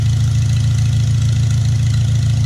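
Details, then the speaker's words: Farmall Cub after a piston ring install, first test run on choke on a rainy, about 30-degree day: a deep, steady, low thrum at idle with an even beat and no knocks or misses; normal idle. "yeah I'll go ahead and turn off now it's it's raining here at my house and about 30 degrees so and I don't want to open the doors up and let let this thing run for a while it was awesome"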